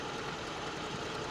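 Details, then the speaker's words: 1979 car with traditional distributor and coil ignition, manual choke, cold start: brief, even, slightly fast busy idle on choke, no misfire or stumble, after ignition coil improvement; normal cold idle. "right here everything seems to be running normally after a few moments I'll be opening up the uh the choke throttle and see how it runs"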